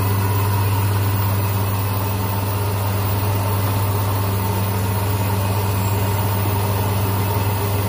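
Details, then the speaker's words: Hyundai Accent/Verna after replacing the faulty starter motor (broken bendix gear, cracked armature) with a Mitsubishi unit: engine starts, smooth even low idle with steady rumble, no misses or grinding. Normal idle. "Nah hidup ya, ternyata dinamo starter. Sip."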